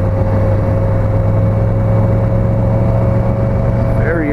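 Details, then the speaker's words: '83 Yamaha XVZ12TK Venture 1200cc V4 riding: steady mid-pitched howl over engine drone and road noise from the speedometer cable/drive. "godd damn Speedo is making a howling sound"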